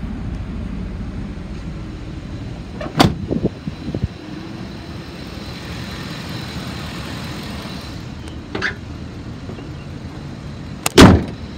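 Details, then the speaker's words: 2014 Ford E-350 XL van, 5.4L V8, automatic, 86,158 miles, run over an hour without overheating. A low, steady idle under door and handling clunks with no misses or knocks; smooth, healthy idle. "motor sounds good it revs up nice and it idles smooth"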